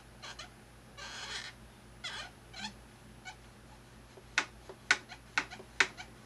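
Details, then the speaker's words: Thrustmaster rudder pedals: high chirpy squeaks with each pedal stroke as the pedal shifts sideways and rubs its plastic housing; pushing it away stops the noise, lubrication only a temporary fix. "the pedal can move a certain amount left and right and where intersects with this and this my gets rubbed up next - it seems like noise yeah push it away gets rid of it"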